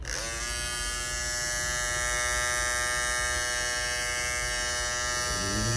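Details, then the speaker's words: Andis GTX EXO T-edger clipper after replacing the broken blade bracket: clean steady high-pitched buzz, no rattle or chatter; blade back in place, running smooth. "buddy things running smooth too back in the game and we back in the game clipp it back to where it need to be the blade back to where it needs to be"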